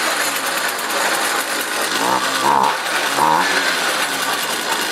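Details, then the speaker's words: Jiffy ice auger, Tecumseh 2-cycle engine, after throttle repair, blades capped and spun on floor: steady governed buzz, light rattle, slight rev change, never over-revs by design. Normal running. "and also these engines are made not to over rev as you you notice the engine wasn't spinning too fast"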